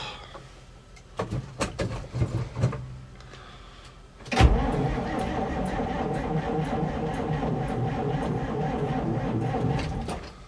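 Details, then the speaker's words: Electric fuel pump on a 1957 REO dump truck, revived after sitting over 22 years: a few clicks, then a steady, unchanging electric buzz with no fuel delivered because of a plug in the fuel line, later blown out with air. "No fuel yet. We had a plug in the line. Had to get an air hose up here, blow it out."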